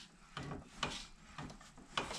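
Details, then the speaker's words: Shaft turned by hand gives dry gritty crunches about every half second despite decent clearance; welding the bracket fully warped the angle, pulling the shaft out of line so it binds. "слышно, что идет какой-то хруст, хотя там вот зазор приличный."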